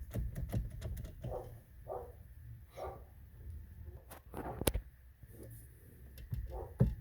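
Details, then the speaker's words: 2003 Ford Fiesta steering wheel with abnormal play. Loose knocks and rattling clicks as the wheel is rocked, with a loose spring found in the column; a dog barks nearby. "aquí se escucha también ruido y aquí trae un resorte suelto ve Entonces vamos a revisarlo"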